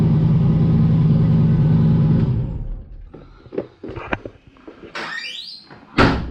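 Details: Big-turbo 363 Dart V8 in a Foxbody, new build, brief first start at night after parts replaced: a deep, even idle rumble for a couple of seconds before shut-off; smoke was only spilled oil; sounds good.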